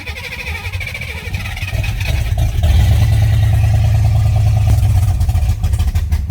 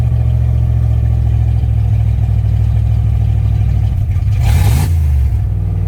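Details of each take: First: Fox-body Mustang V8, first start in 18 years after harness swap and injector work, fuel pump disconnected after priming, no radiator or belt: cranks, fires, lumpy V8 rumble for nine seconds, then dies as primed fuel runs out. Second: Ford Fox-body Mustang V8 first start in about 18 years: loud, raw, blatty, unmuffled idle with a brief rev; exhaust leak at an open joint not yet welded; oil pressure gauge not yet working.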